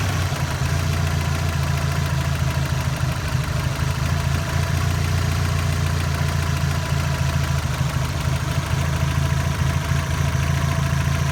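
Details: 2002 Subaru WRX hybrid restarted after oil pressure dropped to 0, oil cooler lines removed and oil refilled: quick, uneven knocking over low idle rumble; owner suspects rod knock, not confirmed.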